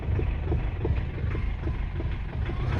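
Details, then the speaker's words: Foton Tunland diesel idling after parts cleaned: slightly better but still diesel knock, uneven lumpy thumps about three a second with smoke; owner suspects all injectors need replacing, unconfirmed. "she sounds slightly better but you can still hear the diesel knock over there"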